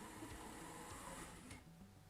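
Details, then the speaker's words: Carrera track cleaning truck 31094 slot car, 150 g with all magnets fitted, after several laps: thin buzzy motor whir sagging and losing pitch then stopping; motor overheating and losing power, risk of burnout. "but I've done a few laps here and because the motor is getting hot you might realize Motors lose their guns gumption"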